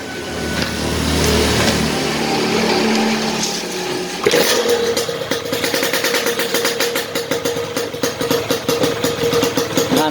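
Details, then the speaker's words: Yamaha RX King, standard non-ported block, fitted with a lathe-machined RXS head; exhaust, spoiler, reed and ignition settings tuned. An unmodified RXS head would knock from too-high compression. It starts after a few seconds into a crisp, even two-stroke beat with no pinging: normal. "Normal kan teman-teman, jangan coba-coba ya masang head RX tanpa dirubah di racking karena diameternya terlalu jauh bedanya."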